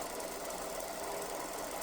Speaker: Yeah, it's loud, but that's just because this bearing on the bottom is uh in the groove of the other bearing. So, it's like the balls are are touching.